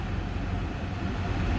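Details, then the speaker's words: 2009 Chrysler Town and Country, 218,309 miles, first start of the day, cold, at high idle: steady even low rumble, no misses, knocks or ticks; running good, normal idle. "he's running good running at the high idle first thing in the in the uh day thing and let idle down"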